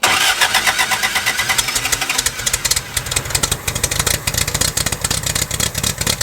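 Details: 1969 Lotus Europa S2 barn find, stored 15 years, restarted on starter fluid and a little gas: quick, even firing beat with crisp exhaust pulses, no stumbles; earlier water likely just in the header.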